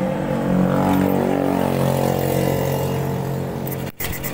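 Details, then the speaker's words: Honda Beat fuel-injected scooter, wiring to injector and TPS sensor tested with continuity intact; hard to start, then labours with a ragged misfiring beat and cuts out, no check-engine light. "Ayan mahirap andarin guys Ayan bitaw yanar siya pero Ayan palyado guys"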